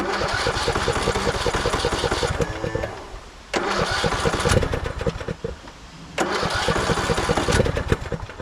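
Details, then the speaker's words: 2014 Craftsman T1600 lawn tractor just after first start, after bypassing a broken blade safety switch, disgusting fuel filter: engine surges and stumbles, dropping out twice then catching again; rough running, owner suspects a dirty carb. "I'm more worried about batteries. Doesn't sound like a clean carb, does it?"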